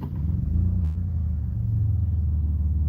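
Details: 2001 Chrysler with crank-no-start: with an external ground jumped to the sensors, a deep smooth steady idle with no misses or knocks; it dies when the ground is pulled, so the PCM has lost sensor ground and needs replacing.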